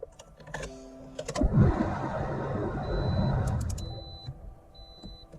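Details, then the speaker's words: 2006–2012 Toyota RAV4 after fuel pump replacement and refitting the missed pump O-ring, cold start at about 10 degrees: short crank, engine catches and settles into a steady, even idle with no stumbling; normal cold start. "all right final test of the rav4 fuel pump it's about 10 degrees outside let's see if it"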